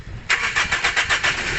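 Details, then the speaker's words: 2014 Toyota Vios, no start: carb cleaner sprayed into the airbox opening; quick even cranking, about six pulses a second, catches briefly on the spray then dies, meaning the fuel pump is busted. "Ayan umandar siya di ba Ayun namatay na it means busted"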